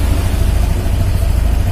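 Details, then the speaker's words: All New Scoopy scooter, new bike, idle RPM deliberately left set too high: quick, even buzzing idle noticeably faster than normal, sounding a bit odd; wrong RPM setting causes complaints, ignition timing must be correct. "Ini kurang naik dikit, memang saya sengaja nggak naikkan, ini sudah terdengar agak aneh ya, RPM-nya terlalu tinggi."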